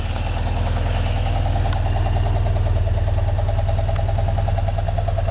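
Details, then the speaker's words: Old boat engine with over 300,000 miles, idling on the first run with a hydro generator running on distilled water and sodium hydroxide, its line vacuumed into the intake. A steady even low idle with a faint top-end tick; it sounds normal. "The motor sounds like it's running normal. It's got it usual sound. This is an old engine."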